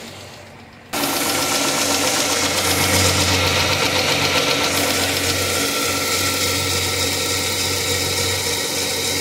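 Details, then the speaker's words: 2006 Dodge Charger idling with A/C on: harsh, hissing, grinding drone with faint rapid beat; compressor locked up and not spinning, clutch very hot, smoke and burning smell. "the compressor is supposed to be on but she ain't spinning"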